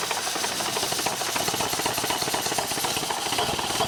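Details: Model T roadster hot rod with a 1932 Ford Model B engine, after the exhaust and intake leaks were improved: an uneven, stumbling idle with irregular ticking and chuffing. Cylinder 3 has much lower compression and is suspected. Rough running.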